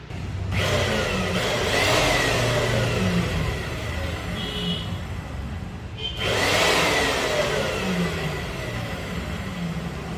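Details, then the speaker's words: Cut-off machine after greasing its noisy, grease-starved gearbox (gears not worn or rubbing): motor spins up twice to a smooth, even whir with no grinding or gear rattle; gearbox now quiet, free and healthy. "வந்துரும் சத்தத்துடைய வித்தியாசம் உங்களுக்கே தெரிஞ்சிருக்கும் ஃப்ரீயாவும் இருக்கு"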